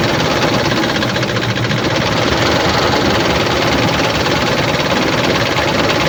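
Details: 2007 Dodge Ram 1500, 4.7 L petrol V8 (EVC, 238 PS), 290,000 km: rough, uneven idle with a regular stumble and loping chuff each cycle; misfire because cylinder 1 has no compression.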